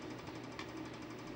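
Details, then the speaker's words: Imation SuperDisk drive reading an installation diskette: quiet, harsh rasping ticks repeat about ten times a second as it tries to read. The seek mechanism grinds and sounds broken; cause unclear. "Sounds like something is broken."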